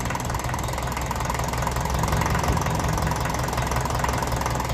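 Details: 1954 Ferguson TE-F 20 diesel after a pump rebuild with new bearings: loud, rough idle swells and sags instead of holding steady. Rpm drops when the intake is sealed by hand.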